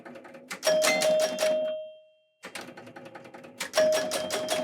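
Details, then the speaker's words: Retro pinball machine at power-on: quick bursts of relay clicks with ringing chime dings, each pulse repeating five times, a normal startup sequence. "On entend déjà des relais qui claquent. Là, on entend bien le carillon. Donc là, on a l'impulsion."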